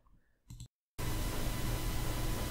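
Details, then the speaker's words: Samson Meteor microphone: constant hiss with a thin, steady high-pitched mosquito-like whine underneath, digital noise in the microphone's self-noise, normalized to be audible. "mic have the problem of mosquito kind of noise it's really annoying just listen to it so you can hear it's kind of buzzing"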